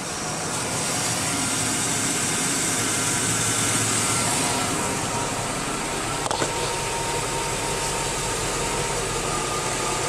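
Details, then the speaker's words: 2002 GMC Yukon Denali after new tensioner, idler and alternator: smooth, even idle with no squeal or chirp; belt squeal seemingly fixed. "take a look repel it's running good they seem to be operating that might just be a win"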